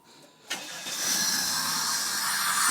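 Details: 1995 Chrysler 3.0 after timing belt replacement, run with belt exposed and no air filter: quick crank catches right away and settles into a steady, even idle with a smooth hiss; a healthy start.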